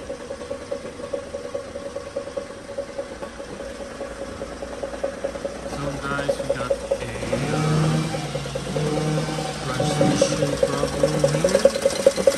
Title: Holden/ Chevrolet Commodore VF| SV6 | Automatic Transmission Noisy |